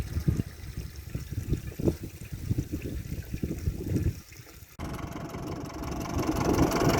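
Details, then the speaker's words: Ford 6610 Force II tractor diesel after fuelling problem fixed: low even idle chug, no stumble, then louder working run; idle miss seems gone; normal idle. "She's running a damn sight better. I think that mist has gone out of her when it's idling, so happy days."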